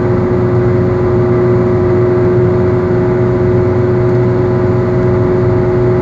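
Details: Car wheel bearing going bad, heard while cruising: a constant droning howl over road noise. Worn wheel bearing.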